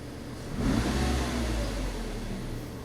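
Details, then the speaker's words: 2003 Nissan Altima 2.5S four-cylinder automatic after the mass airflow sensor was replaced for rough idle and a P1102 code: a sharp throttle snap with revs climbing cleanly and settling smoothly. MAF signal reaches about 4 volts; normal response. "And we'll do a snap throttle. That signal looks much better. Yeah, that's much better."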